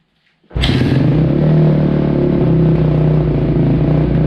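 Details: 2005 Kawasaki KX250F after carb clean and clogged pilot jet cleared, kick-started off choke: loud, lumpy, uneven running; owner wonders if it's too lean.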